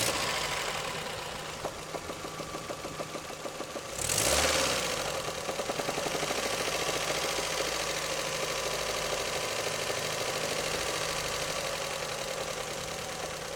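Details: Toyota 3S-FE engine at warm idle; the knock appears only after warm-up and comes and goes. A sharp, fairly regular tapping of about three per second over the engine hum, with strong hits; source unknown.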